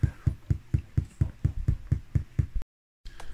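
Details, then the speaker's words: CD70Navi / DVD90Navi car radio with AUX selected after service menu index changed to 12: low, even beeps about twice a second through the speakers mean the SMD parts for the AUX input (TDA8579 etc.) are not fitted on the board. "Po wybraniu AUX-a, jeśli jest on aktywny, to będziecie słyszeli ciszę w głośnikach, natomiast jeśli słyszycie takie pikanie, to znaczy właśnie, że brakuje elementów odpowiedzialnych za AUX."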